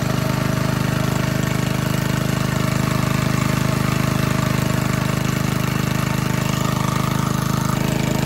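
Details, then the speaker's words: 1951 Briggs and Stratton 6B-SF, 1.75 hp, rated 3600 rpm, barn fresh, cold morning start: governor spring moved to another hole, dropping speed at least 500 rpm; even, steady putter with no misses, knocks or hunting; normal running at governed speed. "well that governor adjustment definitely did the trick didn't it it really slowed the rpms down so just by moving the governor spring from this hole to this hole we dropped at least 500 rpms"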